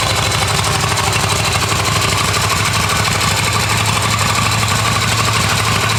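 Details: Restored Yamaha XV250 Virago V-twin, started in neutral on the electric starter, ready for registration: steady idle with an even, lumpy beat and light mechanical chatter on top; healthy, settled, normal idle.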